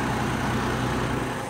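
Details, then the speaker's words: Steady, smooth low idle with even rumble and no knocks or misses on a 2004 GMC Envoy. A no-start after a refurbished instrument cluster install was fixed by cleaning a loose battery terminal; the new gauges work. "car turns on the gauges all work and I knew my new cluster is working just fine everything is back on"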